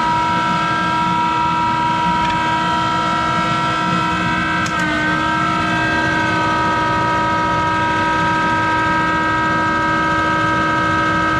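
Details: Monarch 10EE lathe, 3-phase motor-driven generator with vacuum-tube rectified DC variable-speed spindle drive, running with worn motor-generator bearings that need replacing: a loud steady multi-tone whine over a rough hum at even pitch.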